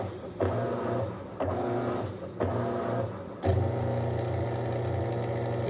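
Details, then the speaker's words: Maytag MVWC465HW2 top-load washer after splutch drive kit replacement: regular agitate strokes about once a second over a smooth motor hum, no grinding or shrieking pause as before; washer repaired and running normally. "sweet we got it fixed at this point it would have made that noise and it was pausing there for a minute that's whenever that horrible noise would kill um it's not doing that"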